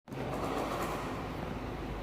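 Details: Cosmos 16SDB electric fan after repair of a blown thermal fuse caused by a dust-clogged, seized motor: on speed 1 it spins up quickly to a smooth, even whir with no scraping or rattle.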